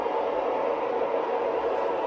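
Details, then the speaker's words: Lionel Amtrak model passenger train on the layout after a lot of fast running: a thin, high squeal over the steady running hum; the wheels have dried out and need grease. "you hear that we got a squeaker hear that folks squeaky wheel which means maintenance time i was doing a lot of running before this shot really fast so i guess we must have dried the wheels out a little bit"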